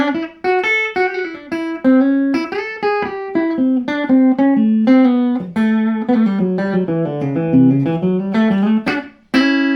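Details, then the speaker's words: Fender Princeton Chorus 2x10 solid-state guitar amp after repair of broken main capacitor snap-in tabs, new caps and dry joints resoldered, restoring signal; clean guitar notes with reverb, steady sustain, no hum or crackle; working properly. "Surprising. Let's put a bit of reverb in. That sounds great, doesn't it?"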